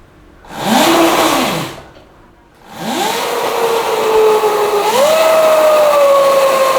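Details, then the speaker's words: Yamaha Mio converted to electric, chain drive, on a stand with the rear wheel spinning, speed mode 1 then higher: a clear whine climbs and holds as throttle opens; owner suspects a dry chain, before lubing. "Ah, suaranya kayak suara mesin jet, cuy. Ini suaranya berisik. Enggak berisik. Enggak berisik banget sih. Suaranya tuh mendesing banget. Mungkin karena rantainya kering gitu, Guys."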